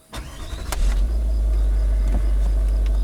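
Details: Range Rover L322 TDV8, which had intermittent starting problems, restarted after a new battery (normal type replacing AGM) and the battery-replacement ECU routine. The starter whirs briefly, then the diesel catches cleanly to a steady idle; charging reads 13.5–14 V.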